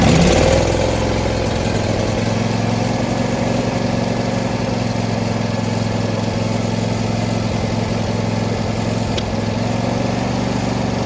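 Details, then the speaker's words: John Deere D130 riding mower V-twin, started after carb cleaner and now running on gas from the tank: steady, even idle with a smooth low thrum and no knocks or misses; normal running. "Well, that might just be running. I think she's running on the gas in the tank now."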